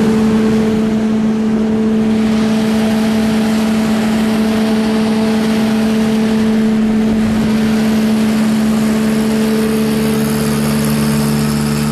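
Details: Skid-mounted Reinco TM730 straw blower with 4-cylinder gas engine, fully serviced, oil changed, tuned up, new battery: engine holds a smooth, even run with a steady drone and no knocks or misses; normal, healthy running.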